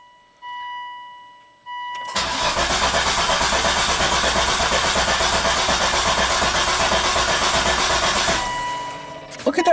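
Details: 2004 Volvo XC90 T6 twin-turbo AWD, usually crank-no-start and sometimes firing then stalling within 10 seconds: a long even crank that never catches. Codes were set for the MAF sensor, the engine speed/crankshaft position sensor and turbocharger control.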